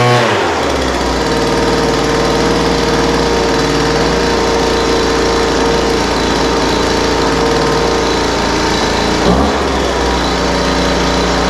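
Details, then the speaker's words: Poulan Pro 200mph two-stroke leaf blower, idle mixture leaned from too rich and high-speed adjusted: steady clean high-pitched drone, no surging or sputter; normal running. "a yeah that sounds pretty good um carburetor needed just a little bit of adjustment the idle mixture was too rich so I leaned that out a little bit"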